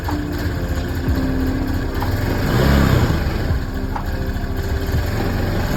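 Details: Honda Beat scooter that ran out of oil, first start after an engine rebuild, CVT parts removed. Low, lumpy idle with a slightly irregular beat and a brief swell in revs; not settling to an even tickover. Cause not confirmed.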